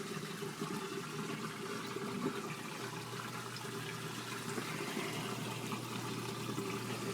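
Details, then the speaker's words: LG WT1101CW 5.0 cu ft HE top-load washer draining before the rinse cycle: steady rushing water over an even low pump hum, no rattles or surging; owner says draining is the loudest thing about this quiet washer. Normal drain pump noise. "so right now it's draining as you can hear that's probably the loudest thing about this wash machine is when it drains so"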